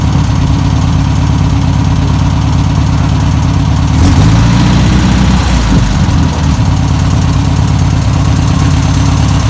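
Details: 1962 VW Type 2 van/bus flat-four, sat over 40 years, running off its own fuel supply: steady low chugging idle with a brief rev mid-clip, runs evenly; normal idle.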